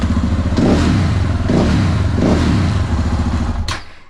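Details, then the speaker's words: Crashed motorcycle after a four-month repair: crisp throttle blips rising and falling three times over a steady, even beat; revs cleanly, owner says it couldn't sound better; normal running and revving. "Kako vam se sviđa zvuk, a? I meni isto. Ne može bolje da bude."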